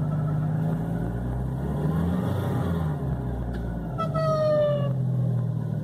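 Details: 2006 VW Gol G4: steady low engine drone, then a brief falling whistle-like squeal for about a second, heard both idling stationary and driving; belts already replaced; source unknown.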